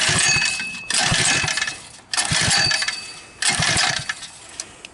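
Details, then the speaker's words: Backyard ATV fitted with a 79cc four-stroke engine, after a shot of starting fluid: three short cranking bursts of about a second each, engine spins but never fires; spark not yet checked; cranks but won't start. "Doesn't sound like too much. Let's give it another one. Sounds like a whole lot of nutting."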